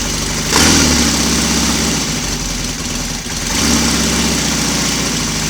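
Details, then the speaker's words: Royal Enfield Constellation twin, cold start the morning after first running on both cylinders from one carburetor: fires and holds a steady even beat through throttle blips, no smoke, no wet sumping, slightly sticky throttle cable; normal cold start and idle. "no smoke because there's no wet Sun is and a slightly sticky throttle cable this morning"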